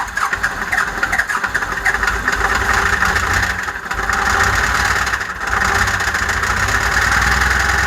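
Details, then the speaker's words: 12-valve diesel run on used motor oil, blown after 25–30k miles of hard use; turbo failed, likely turbo debris inside, no oil: heavy clatter with a harsh metallic knock on every beat as it revs, a rod or bearing suspected. "oh boys and girls that thing's about to have a rod hanging out of it"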